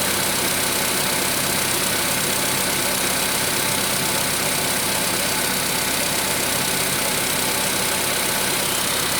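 Steady idle with a light, fairly even tapping running under the engine note, about two to three a second; knock at idle, cause unknown.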